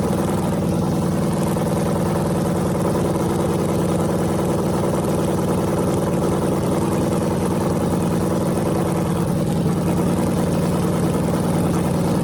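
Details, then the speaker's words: Freshly rebuilt small block Chevy 350 (355) on a run stand, restarted after refuelling, open headers, temps about 107 front, 76 back, plenum 69°: loud, even idle with steady lope, no knocks or misses; runs healthy. "and this thing sounds mean as can be so I'm just excited to uh be able to let you guys hear it"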